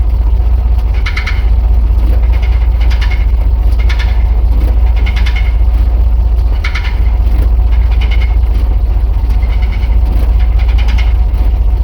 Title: GMC w4500 knocking noise from transmission area #gmc